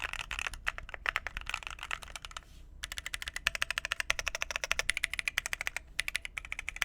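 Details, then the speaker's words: Phoenix45 keyboard, red aluminum case over brass weight, 2U backspace: crisp even clacks in quick bursts with no rattle or hollow ping, ten times better. Normal typing sound. "That backspace sounds good. Yeah, that sounds 10 times better."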